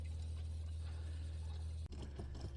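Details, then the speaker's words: 1978 Boler 1700 trailer water pump, dewinterizing after the water heater anode rod was refitted: steady low drone turning into an uneven bubbly gurgle as only air comes out of the lines. Water pump running on air. "and in fact right now there's nothing but air coming out but I can hear that pump working over time to try and fill that uh water tank"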